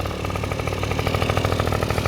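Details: Honda Dio two-stroke scooter idling steadily with quick, even popping and no misses or rattles, after a no-start caused by an internally leaking oil pump was cleared and a temporary gravity-feed fuel tank was fitted; normal idle.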